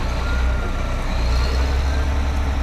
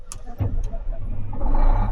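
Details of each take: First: Caterpillar 18M3 motor grader diesel running and driving to the workshop after a temporary steering repair, with a steady steering fault warning beep over the engine drone; steering cylinder failure likely from mud buildup on the front axle. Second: Caterpillar 18M3 motor grader after a temporary steering cylinder repair (suspected mud buildup on the front axle cylinder): the diesel cranks, catches and settles into a steady low rumble with no steering fault warning beeps, so the steering fault has cleared.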